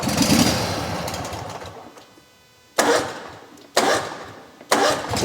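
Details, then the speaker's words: Riding mower that previously clicked with intermittent no-start, after a 5-pin relay bypass wired to the starter solenoid signal: three key turns, each a quick crank that catches immediately; starting consistently every time. "It's working every single time."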